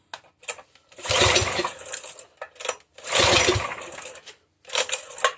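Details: Brute 35-ton log splitter, Briggs and Stratton XR Professional 250cc at full throttle: two short cranking bursts that die without firing; no start, spark plug fouled from running on full choke after choke lever broke.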